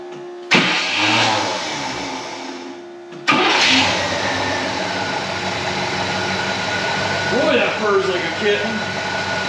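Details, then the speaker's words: 1966 Cadillac Sedan Deville V8, 28k miles, first start after sitting 10+ years: starts and idles smoothly with a faint chirping squeak over it; owner suspects the fuel pump, source unclear. "you hear that little squeaking sound that i'm talking about sounds goofier than hell it's either that or that's the uh might be the fuel pump making that sound"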